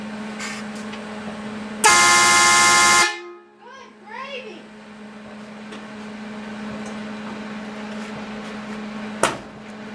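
One loud, steady horn blast of about a second, full and clear with no choking or crackle; the horn works properly.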